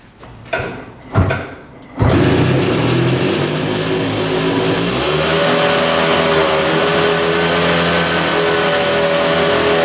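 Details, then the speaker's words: 1965 Tatran 125cc scooter, 20 original miles, first start after sitting 40 years, battery fitted: two cranks, then it catches into a steady, slightly high idle; the idle screw needs adjusting. "all right it's idling now just have to adjust the the screw the wire was getting caned"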